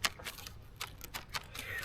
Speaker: The ferrules are moving around in that hole there. Interesting.